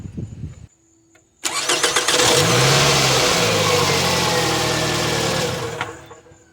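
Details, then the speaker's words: 2002-2006 Toyota Camry 2.4 L with a new bench-tested replacement starter fitted, run with the intake air tube off: a short quick crank, the engine catches at once and settles to a steady idle. Normal cranking and start. "Alright, and as you already saw, I turned on the car a few times and it turns on with no problem."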